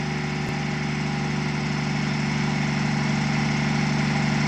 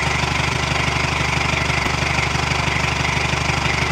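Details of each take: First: Truck diesel just cranked, about 40 psi oil pressure, smoke mostly cleared; commenters said it was missing but it sounds like a sewing machine: smooth, even clatter at steady idle, no skips, healthy warming-up idle. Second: Old military truck diesel: loud idle with steady throb about twice a second and lumpy beat, sounds like an old Detroit; rough running, owners suspect it needs an injector.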